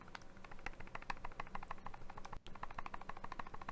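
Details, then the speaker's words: TFV8 Big Baby tank on a Wismec RX200S mod, shaken: quick irregular light clicks, about three a second, as the tank rattles on the 510 connector even when fully screwed down; loose 510 connection. "I put my tf8 big baby on my on my RX 200s and I'll do this for the camera you you can hear it rattle on the 510 when it's fully screwed"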